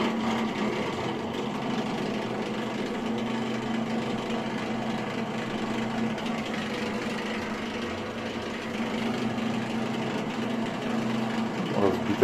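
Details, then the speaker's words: Bosch Maxx 5 Speed Edition washing machine that won't drain: the drain pump motor gives a steady electric hum with no water moving. The pump runs, but its impeller is broken. "Все, насос работает. Как видим, разбита крыльчатка."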